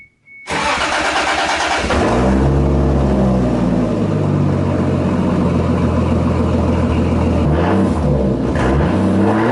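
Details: Toyota Supra with new homemade 2.5-inch custom exhaust, first start-up: cranks and catches, loud raspy idle with puffing chuff at manifold flange and occasional sputter blamed on new mass airflow sensor; exhaust leak at the flange.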